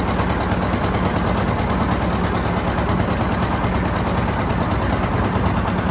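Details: John Deere 730 two-cylinder tractor pulling a John Deere RWA disk, disking ground for soybeans: loud, steady putt-putt at an even beat under load, no misses or knocks; normal running.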